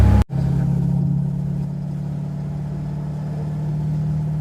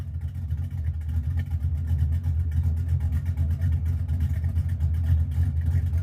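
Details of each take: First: 1982 Ford Mustang GT, rebuilt 310 cubic inch (302 bored .060 over) V8, new straight-through mufflers without tailpipes, test drive: a deep steady V8 rumble with a lopey cam chop heard more than with the old chambered mufflers. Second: 1982 Mustang GT V8 with new straight-through mufflers, tailpipes not yet fitted: deep, loping rumble at idle swelling on light revving, not much louder than before.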